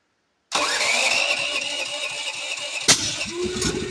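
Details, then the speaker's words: DuroMax generator that has been hard to start with repeated backfires: engine catches and runs roughly, then a sharp, hard backfire bang while starting. "That's a pretty bad backfire. Solenoid just gets stuck like that sometimes."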